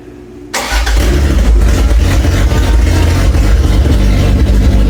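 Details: Toyota Cressida MX83, engine just reinstalled; earlier intake backfires were blamed on distributor timing, fixed by re-clocking the distributor gears. The starter catches quickly and the engine fires into a strong, even run with no intake popping. Healthy start.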